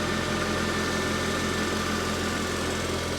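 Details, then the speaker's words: Chevy SSR salvage-auction truck idling, with the alternator charging, a likely bad battery and power steering fluid slightly low: steady, even idle with a smooth low rumble and no knocks or misses; engine running fine. "she sounds good and it has power steering fluid in it maybe just a hair low"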